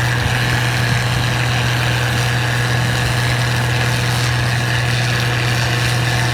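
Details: Model 1688 combine harvesting wheat in 2020: strong, steady low hum droning under the engine and threshing noise; abnormal noise of unclear source.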